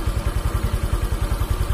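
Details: Honda Vario CBS 125 injection scooter after repair of an oil-starved seized engine, finished and idle reset: steady, even low putter about nine firing pulses a second, no knocks or misses; normal, smooth idle.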